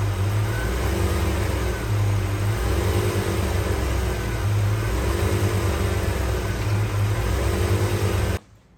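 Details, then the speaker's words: Foxbody Mustang 5.0 GT manual, long neglected, after replacing plugs, distributor cap, rotor, leads and air filter: revs surge unevenly with a lumpy, stumbling misfire, still running rough; owner suspects the fuel filter next. "So it's still knock. So next thing, I actually reckon this is probably, oh my god, I reckon this is probably fuel filter because it's still not running great."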